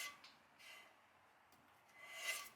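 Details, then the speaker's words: 1966 Plymouth Fury drum brake after new wheel bearings, drum turned by hand: soft light rasping rub once per turn, shoes kissing the drum, better than the earlier harsh scrape. Brake shoe-to-drum rub. "now if you hear that that is that noise right there is pad to drum"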